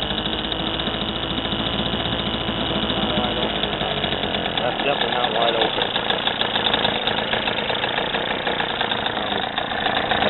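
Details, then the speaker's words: 3 hp two-stroke sailboat outboard after carb repair (fuel filter, float piece riveted), prop always turning: steady buzz at low idle, picks up cleanly as throttle opens; even firing, normal running. "Take the throttle good. Sounds good to me, but guys, we can all be having a little fun with it."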